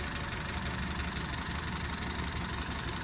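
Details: 2007 Honda Civic 1.8, flashing check-engine light and low power: uneven, loping idle with a stumble about three times a second; misfire on cylinder 4 from a failed ignition coil, confirmed by swapping coils, not injector or compression.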